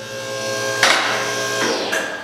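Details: The Auto Loft 2200 lb electric-over-hydraulic ATV/UTV lift table rising with about 1,000 lb on it: an even electric pump hum at a steady pitch with a couple of mechanical clunks, a normally working lift.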